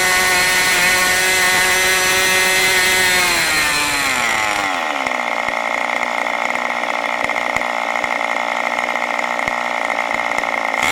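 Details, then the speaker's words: New OS 40 FSR model engine, second tank, not fully broken in: it winds down from a high scream to a fast, slightly ragged idle of about 3500 rpm instead of about 2700. The low-end mixture is way too rich and unset. "even with those unset conditions of low speed it was still around 3500 rpm which it should idle down or 2700 rpm or so went via the low-end mixture was way too rich still and the engine isn't fully broken in"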